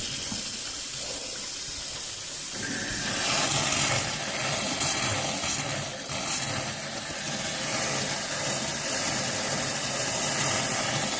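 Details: After a hot water tank replacement, a tap is opened upstairs to burp the lines: an uneven sputtering hiss of air and spitting water as trapped air purges, which is normal.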